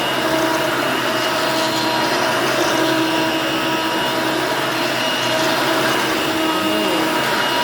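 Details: Hoover Elite Mach 6.0 350 vacuum, running after a lengthy repair: an even, steady motor whir with a soft hum and light airflow hiss, no surging or rattles, so it runs quietly and healthily.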